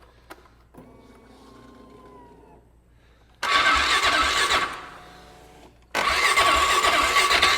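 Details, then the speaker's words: 2008 Polaris Ranger 500 UTV, with fuel possibly bad and a suspected bad fuel pump: the starter spins the engine over strongly on its own in two bursts, with an even whirring crank rhythm and no grinding or clicking. "Let's turn over on our own now. That's a plus."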